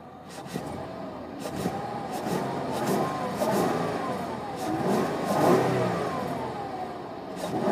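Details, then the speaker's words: 2002 Ford Escape XLT V6, 120,000 miles, check-engine light on, at idle and with throttle: engine hunts and lurches with an uneven, lumpy note and violent shaking; rough idle, cause unknown. "i'm going to start it up the car just shakes and it's just sitting right here the engine lights on watch what happens when i try to rip it the car is just shaking violently right now"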